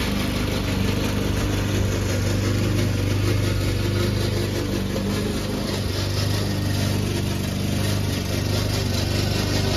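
A steady low petrol mower drone with an uneven mechanical rattle running through it, pointing to a noisy, dry drive system.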